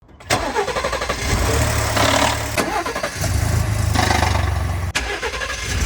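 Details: 2020 Ford Expedition Platinum engine start: brief metallic clatter over first seconds before settling to idle, intermittently sounding like a diesel; VCT cam phasers faulty, dealer found a Technical Service Bulletin requiring all four to be replaced.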